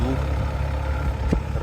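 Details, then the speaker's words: Engine cold, after the knock was cured; steady, even low hum with no knocking or tapping; normal idle. "Никакого стука. Ничего нет. Лепота. Приятный, правильный"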